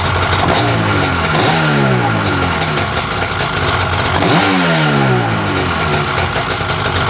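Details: 1995 Lucore Watermotive PJS VHP7000 jet ski (hull #70), two-stroke with rear and front carbs, after reshimming and fuel work: crisp blips quickly between idle and rev, clean response, no misfire or stumble; snappy, peppy, sounds good.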